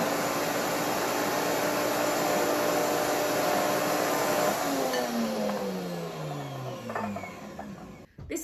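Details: WantJoin commercial blender blending thick hummus on smoothie mode under the soundproof shield: strong steady whir with rushing hiss, then pitch slides smoothly down as the motor coasts to a stop; normal under load.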